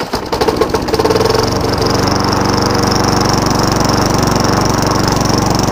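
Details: Free Craftsman Eager One 3.5HP mower, restarted after sitting a long time (water was in the carburetor): a few rough catches, then a fast, steady buzz held well above normal idle; high idle problem, heavy smoke on first start.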